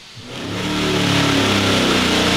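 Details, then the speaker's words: Boosted engine on dyno with very large cam: note climbs fast and flattens at the top as load vanishes, running onto the rev limiter after the dyno shaft separated from the coupler and started smoking. "okay that last little thing was something in the dyo broke m r clear out there I think it came separated out of the Pu or something so we'll uh go check that thing out sounds like the or the Sha came out of the coupler"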